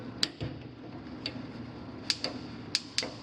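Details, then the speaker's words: Gas appliance igniter with gas shut off by the gas company during a home inspection: sharp, crisp snaps at an uneven pace of a few per second; spark igniter working normally. "okay so the Magneto is working you need a gas to come on it'll probably work"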